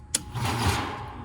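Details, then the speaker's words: ICP/Carrier AC outdoor unit, compressor powered directly with hard start kit connected: sharp contactor click then strained buzzing hum that fades without spinning up, unit shaking; locked compressor. "No, and that sounded bad. So it shook for a minute."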